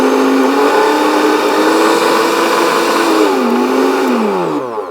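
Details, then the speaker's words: Kenwood BLP41 blender from a charity shop, tested on the pulse and different speeds: steady motor whine stepping through speeds, winding down smoothly at switch-off; no grinding or rubbing, everything works fine. "Let's give that a burl. Oh yeah, it sounds pretty good. and different speeds"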